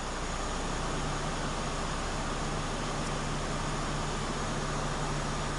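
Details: Peugeot 207, petrol, AC compressor earlier condemned elsewhere: steady, even blower rush with smooth low hum, no rattles or hiss surges; cabin drops from 29° to about 19°, AC working normally.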